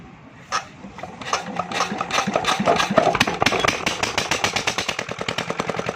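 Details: Small single-cylinder generator engine run after tappet (valve clearance) adjustment: it catches after a tug, then settles into an even thump of about two beats per second. Clean, healthy running.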